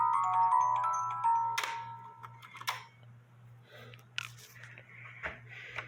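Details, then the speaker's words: 1950s Poppo musical cuckoo clock with count wheel, after new bellows fitted: bright music-box tune plays, then stops with a few train clicks; cuckoo and music work and shut off properly. "but as you can see it Cuckoos music plays when the music is done it stops"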